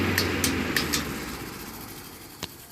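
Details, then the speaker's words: Vintage 15-inch Lasko floor fan, repainted, loose blade hub, before servicing: motor coasting down with scratchy ticks slowing and fading, a final scrape and quick stop from a scraping bearing; motor noisy and off balance with wobbling blades. "secondly the motorists horribly noisy and off balance you can see the blades wobbling there it shakes the fan to the point where it literally starts turning on its own"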